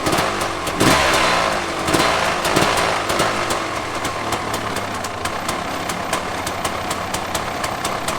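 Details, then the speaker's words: 2006 KTM 300 XCW two-stroke after cylinder re-plating and top-end rebuild, just started with choke on: crackly idle holds steady without dying or surging, a little uneven but settled; idling normally, much better than before. "now that's idling so it uh it has a choke on right now but it's still idling"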